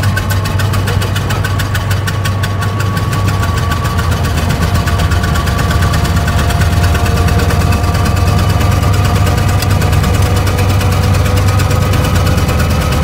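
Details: 1920 Ford Model T barn find, sat about 10 years, first start after carburetor cleaning and points work: slow, uneven low chuffing with missed beats at idle, only one or two cylinders pulling; misfire, number three valves stuck open.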